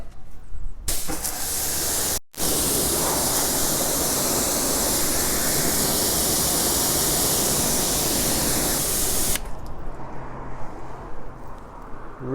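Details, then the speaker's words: Newly wall-mounted Kranzle 7/122 TS pressure washer with hose reel and Mosmatic gun and lance: loud steady water-spray hiss over a low, even motor hum; runs really quiet, only leak is an untightened fitting. "quiet, really quiet. So I'm pleased to say the only leak on it is one I didn't tighten"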